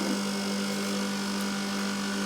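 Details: Copeland ZR42 scroll compressor on an ice-builder system after replacing the contactor, overload and capacitors: a steady, even low hum of constant pitch with no knocks or rattles; running normally.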